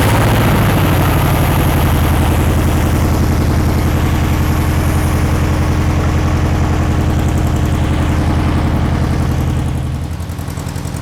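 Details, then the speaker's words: 1960s VW Beetle 1500 air-cooled flat-four, 8000 miles, unstarted since 1973, running on the floor with gearbox after 20+ minutes: even, regular low chuffing at steady idle, no tapping or misfire; oil light out, oil clean, normal running. "so it's um it's now quite Apple even sat here taking over 20 minutes oil lights out perfect"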